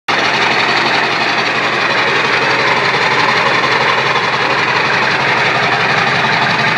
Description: Sounds good. Turbo wasnt hooked up to intake. 4" straight pipe